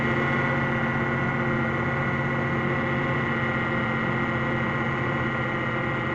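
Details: 2001 Ford Mustang 3.8L V6 idling with a light regular knock about four beats a second that goes away once warm; power steering also noisy despite having fluid.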